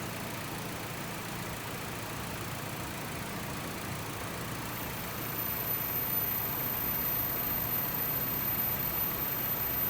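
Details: 2017 Honda WR-V at idle with AC on after compressor replacement for a loud engagement noise, charge stabilizing, electric fan kicking in; steady idle, smooth hiss and hum, no knocking or grinding, normal compressor operation.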